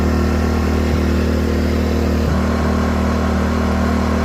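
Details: LIFAN 2000W pure sine wave generator (1800 running watts), freshly started on about a quarter tank of gas with some sediment seen in the gas can, no load yet before a load test: steady, even drone with a constant low hum, no knocks or surging; normal running.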